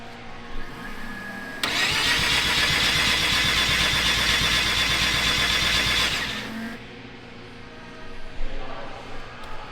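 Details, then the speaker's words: Rotary-engine car cranked for startup after fixing earlier issues: starter spins briskly at about three pulses a second for several seconds but never fires; no spark. "and see this is what we're talking about now we're not getting sparked so you have to figure out why it could be a wire it could be a ground"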